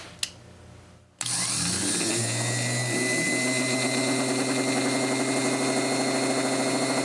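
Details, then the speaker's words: Briggs & Stratton 10 hp starter motor after cleaning and reseating brushes, commutator, grease and new gear, run on battery charger; click then steady high whine while brushes bed in. "this one does like the last one I rebuilt it'll uh run real fast for a while then it'll slow down and come back up to speed but we'll see how this one"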